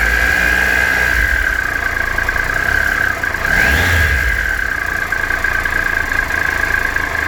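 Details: 2013 Triumph Tiger Explorer motorcycle, 31,000 km, ticking both cold and warm; it idles with a light, uneven top-end tick that swells briefly on a throttle blip; the owner suspects the valves and is taking it to the Triumph dealer for a valve service.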